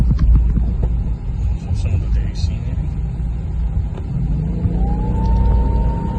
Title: Weird whining sound? Where is it coming from?